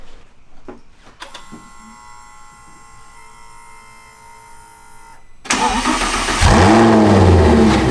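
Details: 2010 Audi R8 V10 after engine rebuild and reinstall, initial oil not yet changed, started to run up to temperature: starter whir, then catches and settles into a loud, even, steady idle with no knocks or ticks; healthy start.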